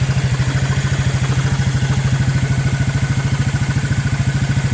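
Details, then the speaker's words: Abandoned Suzuki KingQuad 300 4x4 ATV after Mikuni to Keihin clone carb conversion, owner estimates about 1,500 hours/miles: even single-cylinder thump about 200 beats a minute, no stumbles; purrs right along, clean smooth idle. "she purrs right along"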